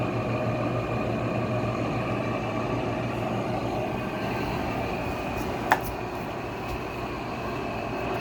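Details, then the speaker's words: Goldstar WG5004 window air conditioner on low fan: steady rough grinding hiss with a low hum from noisy fan motor bearings, still spinning down well so not fully dry; fan motor bearing grinding. "See, without that grinding noise, it'd probably be really quiet, because you can't even really hear the fans that much."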